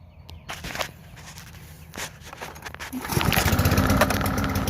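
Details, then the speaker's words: Push mower with a Kohler Courage XT-7 engine swapped onto a replacement deck, blade refitted: after handling noise the engine catches and runs with a steady, even beat and holds speed; normal running. "she runs pretty good if i do say so myself"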